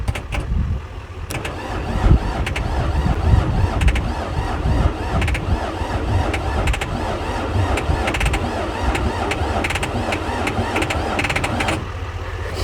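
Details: Skid steer diesel sitting for years: steady labouring crank with rhythmic pulses that never catches; owner suspects wiring or a dirty injector pump, unconfirmed.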